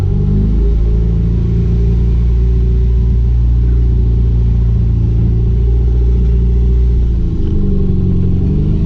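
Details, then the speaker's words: Chrysler Conquest after fixing erratic RPM signal from Apexi SAFC: deep even engine drone pulling steadily under acceleration, no surging, stumbling or hesitation; now runs smoothly. "yeah that sounds a little happier"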